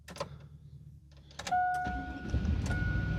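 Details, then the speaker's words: Chevy GMT800 Vortec V8 truck after PCM replacement and VATS relearn: a couple of chimes, then the engine catches and settles into a steady, even low idle with nothing odd underneath; normal start. "there it is. It is running now. Sweet."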